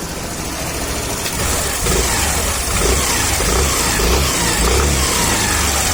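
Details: Suzuki Access BS6 scooter idling evenly with a couple of light throttle blips, no cam chain rattle or tensioner tapping standing out; normal idle.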